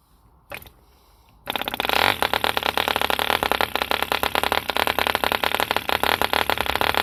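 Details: 1948 E.D. Mark II Competition Special 2cc long-stroke model diesel, first start after rebuild from two incomplete engines: quiet, then catches and settles into fast crisp even buzz holding steady; healthy running.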